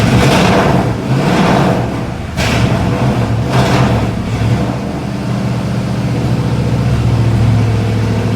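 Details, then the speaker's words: 1976 Mercedes W115 240D swapped with 1989 M117 V8 and 722.350 transmission: big V8 blips and revs with rough, lumpy idle between; owner says injected but runs very rich and timing likely off. "so it almost runs like it's carbureted but it is indeed injected but it just runs Pig rich and I don't think the timing is all that great either"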